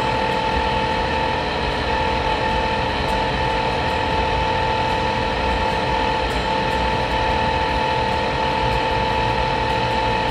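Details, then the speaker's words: Rheem water heater vent blower motor: starts fine, then after about a minute a loud steady whine with a rough gritty rumble ramps up and worsens; worn bearings, motor replaced preemptively. "listen for the transition the bearing noise is about to ramp up here do you hear that we'll keep listening it gets [Applause] worse there it is this motor is begging for mercy"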